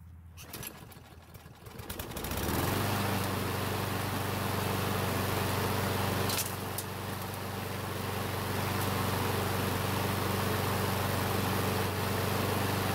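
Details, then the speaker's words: Craftsman mower, stops when hot, would not restart, smokes: small single-cylinder catches and runs fast, fairly steady about 240 a minute only with fuel poured into the carb throat; fuel starvation. "so it looks like we have some fuel issues we need to take care of"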